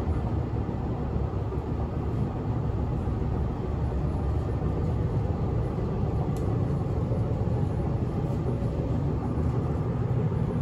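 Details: Inside a moving 1991 S-Bahn Berlin BR485 railcar 485 112-7 on the S8, Schönfließ–Hohen Neuendorf: a constant heavy low rumble and rattle, rougher than a normal ride, caused by a severe wheel flat spot.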